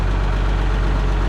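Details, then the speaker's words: G950 tractor, first run since its wire harness work: steady, even low diesel rumble at idle with no knocks or misses, a deeper rumble than before; normal idle. "thing sounds good it's got a deeper Rumble to it now"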